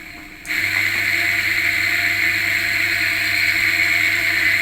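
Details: Washing machine motor running unloaded on mains power, capacitor wired to the red lead for clockwise spin; steady, high whirring hum with a rough, gritty edge; dirty bearing grease is the cause.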